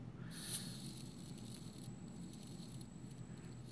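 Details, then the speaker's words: CD-ROM drive spindle motor driven by a hobby 10A ESC, slowing to a stop: loose, irregular pattering rattle over a low hum as the auto-balancer balls inside the motor shake at low speed. "see as it stops it started shaking and the balls inside of the motor are making noise and now it stopped at 12."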